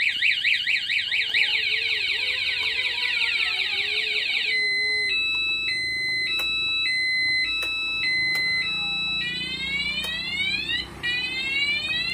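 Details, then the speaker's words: Newly installed Panastar remote alarm on a motorcycle, tested with the remote armed and the ignition key on; pressing the starter sets it off and the engine will not start: shrill warbling siren, stepped two-tone beeps, rising sweeps; alarm working normally. "Nah, kemudian ketika kita starter baru dia bunyi dan motor nggak mau hidup."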